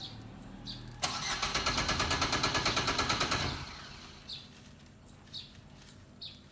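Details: Suzuki car that always needs long cranking and won't start first time: about 2.5 seconds of steady cranking at roughly three pulses a second, then stops without a clean catch; hard start.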